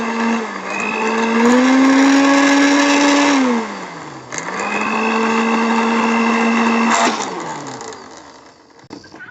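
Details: Philips HR2115 blender after repair of a totally dead unit, reassembled: motor whine climbs as it spins up on speed one, holds steady, then winds down twice; runs smoothly and sounds healthy.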